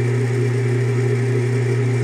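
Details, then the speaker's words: Craftsman Atlas 12" lathe countershaft rebuilt with added thrust bearings and a rebuilt motor, running with the cover not yet fitted: a smooth, steady low hum with no grinding or rubbing. It now runs quietly. "all right nice and quiet that's how I like it"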